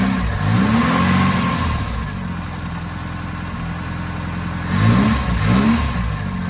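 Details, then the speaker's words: Ford Capri 2.0 just after an inlet manifold refit and a hard start: the engine blips up and settles back, but the idle wavers and stumbles unevenly. It is running rough; the owner suspects the ignition side, not confirmed. "it still seems to run a little bit rough so still think it's probably worth looking into the um ignition site"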